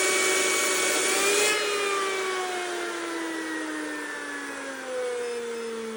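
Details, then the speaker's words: 2-stage 4.5-inch Tesla turbine with 1090 kV generator spinning down after its highest-power run under 1200 W load at under 120 psi; clean high whine with tones sliding steadily downward, nothing rough audible though owner suspects slight generator misalignment. "That's the highest power I've ever done on this little 4.5 inch turbine. Yeah, it just sounds great. Come and spin it down now, too."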